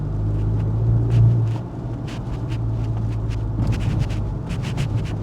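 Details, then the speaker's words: Modified 2018 Golf 7.5 GTI on KW coilovers after strut fix, driving bad village roads where it used to knock and clonk: only a steady low road rumble and light tyre patter, no knocks; suspension quiet. "By the way, these village roads are pretty bad, and this is where it would knock and clonk quite a lot. And I'll shut up so you can hear."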